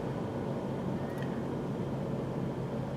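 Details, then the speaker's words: 1997 Mercury Grand Marquis 4.6L, which had a skip at idle and low rpm: a low, steady idle hum with an even rumble and no misses. "Well, I can tell right off the bat things are, I mean, it sounds really good."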